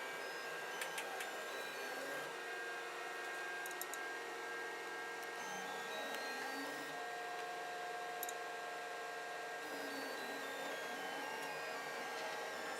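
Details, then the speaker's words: FLSUN QQS delta 3D printer auto bed levelling: soft stepper whirs rise and fall as the arms move the head, light probe clicks repeating, small fan humming; levelling works normally. "can see the arms sort of going up and down to control where the position of the head is."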